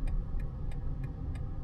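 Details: 2025 BMW iX1 eDrive20 Sport Line during automatic park assist: crisp, even indicator ticks about three per second over a quiet background; turn signal clicking normally.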